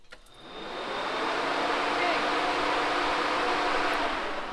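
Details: Small block Chevy on an engine stand with newly added radiator and electric fan: steady whoosh of the fan spinning up and holding speed with faint even hum; fan runs, blowing direction unclear.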